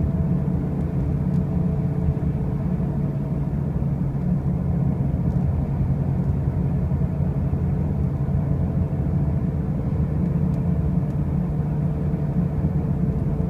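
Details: 2005 Pontiac Grand Prix with brand new wheel bearings and new tires: a heavy, steady low rumble drones unchanged throughout the drive, a loud running-gear noise of unknown cause.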